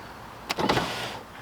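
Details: Foxbody Mustang power window motor tested with an 18-volt Snap-on battery: a short whirring spin-up, then a smooth, steady hum. The motor runs freely and sounds healthy.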